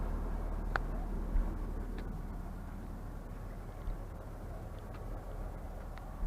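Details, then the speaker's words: 2004 Honda Pilot throwing code P1399, cranking compression about 195–210: low, uneven idle rumble with irregular stumble and no steady rhythm; engine misfire at idle, coils considered but cause not found. "See if it'll pick up the misfiring."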